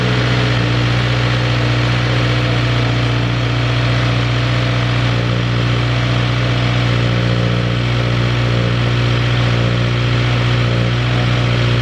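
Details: 2015+ Subaru WRX turbo four just fitted with a new Mishimoto intake, new spark plugs and an oil change: a smooth, even low idle hum with a constant beat and no ticking, misses or rattles; normal idle.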